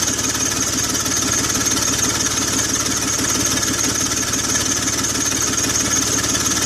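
Rapid, even ticking puffs ride over an idling six-cylinder, the sharp chuff of an exhaust leak.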